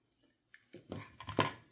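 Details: Cheap eBay PlayStation One Slim AC adapter (7 and 12 V), dead on arrival, shaken: light loose plastic clicks and taps; something broken loose inside, likely damaged in shipping.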